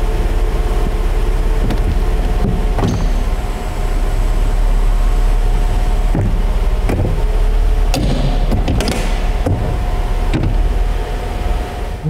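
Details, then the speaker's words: 1991 Mercedes-Benz R129 300SL with manual transmission: power convertible top lowering, loud steady hydraulic pump drone with clicks and snaps as latches release and lock; factory-original noisy hydraulic top, operating normally. "the operation is rather loud this is how it came from the factory a power top was a new thing and they didn't know how to make everything seamless and quiet and so there are some noises from Hydraulics with stuff locking and clicking and snapping into place"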